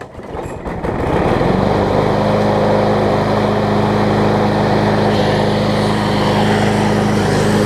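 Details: John Deere JS35 push mower after flywheel key and replacement carburettor, converted from auto choke to primer bulb: fires within a second and holds a steady, even buzz with no misses or surging; normal running.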